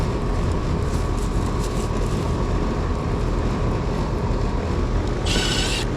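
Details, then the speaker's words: Carrier GasPack set to cool, compressor just kicked on: steady low hum with an even, constant drone and no knocks or rattles; compressor running normally, though the unit is not heating. "Alright, because the compressor came on, I'm pretty sure it's calling for cooling at the thermostat, or at least it's set to cool."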